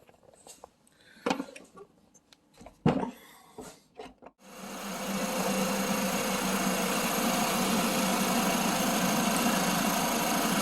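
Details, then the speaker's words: 2020 Chevy Equinox 1.8 turbo after R1234yf AC recharge, idling with AC compressor kicking in on a cold day: smooth even idle, quiet compressor, no rattle; pressures about 2 bar low side, 10 bar high side, within range; normal. "We're a little bit higher, but it's also the AC compressor is kicking in, plus it's colder, so that's going to change the temperature."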